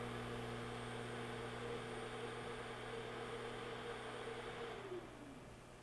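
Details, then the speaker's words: DROK 800W DC boost converter (10–65V in, 12–120V out) at about 18V input, 120V output, near one amp load: steady electrical hum with faint whine that fades as load drops; converter noise under load, cause unknown. "hãy xem chúng ta có thể nhận được điện áp tối thiểu là bao nhiêu gần nhất với điều này, chúng ta có thể nghe thấy một số tiếng ồn"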